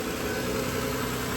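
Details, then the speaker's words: 2007 Toyota Solara 3.3 V6 (3MZ-FE), first start after spark plug and PCV valve replacement with the intake manifold removed and refitted: steady, even idle, a smooth low hum with no misses, knocks or ticks. Normal idle. "she sounds like she's supposed to I like it"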